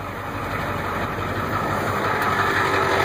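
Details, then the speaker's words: 1991 Ford F250 with 7.3 IDI diesel and ZF-5 manual, neutral safety switch hot-wired the wrong way. With the key on, pressing the brake pedal engages the starter; the engine cranks, catches and settles into a steady idle. "we just found a new way to start this truck um except you couldn't stop the only way you can probably stop is by using the parking brake"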